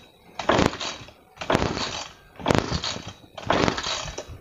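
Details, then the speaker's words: Nearly 3-year-old two-stroke sprayer engine, hard starting: four rough pull-start bursts about a second apart with no catch; cause is a misadjusted carburetor air-fuel mixture screw, not the spark plug or fuel mix. "sebenarnya masalah sahabat itu hanyalah di sini itu pengaturannya tidak pas antara angin dan BBM"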